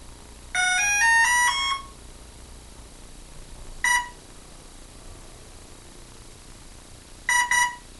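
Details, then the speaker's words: Hobbyking F4U Funfighter RC plane with FlySky six-channel receiver bound to Turnigy 9x: quick rising run of tones, then a lone beep and a double beep seconds apart, motor silent; the speed controller signals an error. Owner suspects a bad speed controller, unconfirmed. "ah okay that's the complete segment anyone knows what's wrong with that please tell me uh i think it's a bum speed controller"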